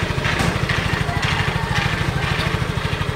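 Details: Yamaha Mio Soul i 125 scooter, engine warm, idling: faint, irregular scratchy rasps from the CVT side, heard mainly when revving or on bumps. A loose kickstarter is rubbing the CVT gear.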